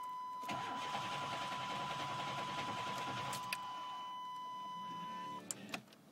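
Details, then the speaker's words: Chevy truck, battery good: steady starter cranking for about five seconds under a constant chime, the engine never catches, then it stops; cranks but won't start, cause not yet found. "well this isn't good ah there you go typical Chevy I got to crank it one time and then it'll stop right up the second time"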